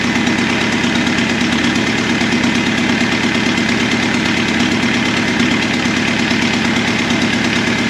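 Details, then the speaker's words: Abandoned Volkswagen Caddy with newly fitted turbo diesel at idle: rough, uneven running with sharp pinging clatter; cracking the injector lines shows two cylinders dead, injection pump judged okay, injectors suspected. "So we've got two unhappy injectors. If you notice, what I did there was actually crack those lines loose, and this one did absolutely nothing. So that tells me we're short those two cylinders, pumping fuel really strong to them, so I think our injection pump is okay."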